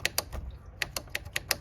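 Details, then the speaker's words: Honda Elite CH150 scooter with a sticky starter button, after silicone lubricant: crisp, clean clicks at an uneven hand-pressed pace, the button snapping back freely; normal switch action. "Man, it seems better now, though. Yeah, that's like normal."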